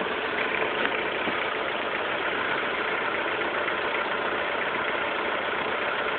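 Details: 2006 S2000 at idle: continuous loose metallic rattle from inside the engine for about a week; owner suspects the TCT timing chain auto tensioner, not confirmed.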